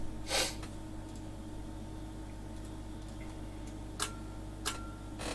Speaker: yeah hang on if something happens there kind of pulls a bit of current you can hear my power supply clicking away there actually every now and then